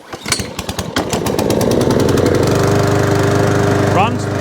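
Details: Mountfield SP454 mower, cold at about 3°C and not run for a while, after knocking noise fixed: catches after a few cord pulls and settles to a smooth, even drone, no knocking underneath; normal running.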